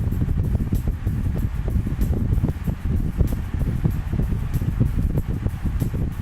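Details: Honeywell 16" double-blade pedestal stand fan (HSF1640), new after assembly, on first speed, camera a few feet away: low steady whoosh with a soft airy flutter, no ticking or rubbing; the fan is running normally.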